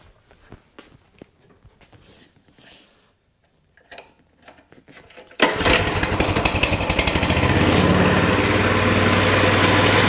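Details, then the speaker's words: Coleman CT200 mini bike, small engine with non-adjustable carburetor, rear wheel up on a jack, before repair; several pulls, then it catches and settles at a fast, even idle high enough to engage the clutch and spin the wheel, idle too high. "so as you can see as soon as you start it up takes a second but then that clutch just is engaged the wheel takes off"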